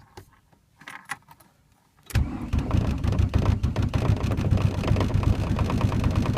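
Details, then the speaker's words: 1991 VW Jetta turbo diesel in cold winter, new battery, starter and glow plugs, cause unknown: quiet, then rough uneven cranking about three beats a second, nearly catches but never runs; hard cold start, almost catches. "oh it almost went it almost went it's gonna go this time if the battery is not dead"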